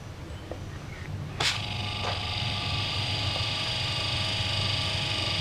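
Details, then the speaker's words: Twin-tub washing machine wash motor bench-run with a capacitor, rotation reversed by swapping the yellow lead for the red: click, then a steady even hum with a clean whine and no rubbing or grinding; running normally. "Hướng quay bị đảo ngược so với hướng trước đó."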